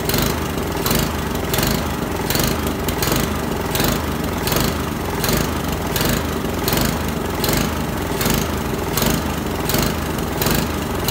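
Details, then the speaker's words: Honda lawnmower during a tune-up, after an oil change and new spark plug, with the air filter off: engine speed rises and falls steadily, surging at full throttle and dying at low throttle, so the carburetor will be pulled for cleaning. "if it's still surging like that then we'll have to pull the carburetor off"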